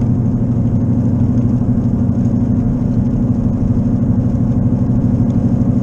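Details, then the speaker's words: Left wheel bearing worn, still unrepaired, for weeks mistaken for an engine knock. Deep steady droning hum while driving at 55 on wet, slick roads, loud and constant over road noise. Turning right loads the left wheel, and the noise grows louder with speed. "I turn right because it puts the pressure on the left wheel so I mean it's my left wheel bearing that's bad"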